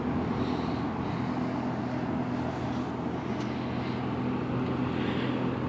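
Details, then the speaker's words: Kenmore box fan after bushing and motor repair, about 15–20 hours use since: on low speed, smooth even hum with steady low tone, no ticking, rubbing or wobble, slow to reach speed normally; much quieter than before repair. "it does take a little while to get up to speed that but that's very normal especially for a fan of this"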